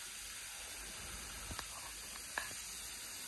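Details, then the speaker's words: Live steam Bantam model locomotive on compressed air from a fridge compressor, in gear, after rod rebushing with new unoiled bushes: steady high airy hiss with faint clicks; cylinder glands leaking badly, only temporarily repacked with PTFE. "no bad thing oh yeah they are quite badly there we seeit out the bottom one that's not surprising only repacked them with PTF for now"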